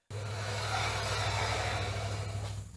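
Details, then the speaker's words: Chevy 3500 dually raised on lift, wheels spun after pumping brakes: steady rough scraping grind over a low hum while the wheel turns; rear brake pads worn completely to metal against the rotor, fronts still good. "so the front ones are okay still in pretty good shape but these back one's wore completely out they're metal to metal"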